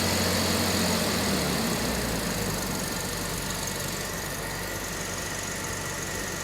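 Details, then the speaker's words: 1977 Jaguar XJ12 Series 2 V12 running after starter replacement, being revved to clear possible flooding from injectors running while the old starter was stuck. Revs up and settles to a smooth, even run with no knocks or stumbles. "it could be a little bit flooded because the co-star injectors ran when the starter was broken so but we'll see go so happy it's running again I'm gonna clear out the flooded"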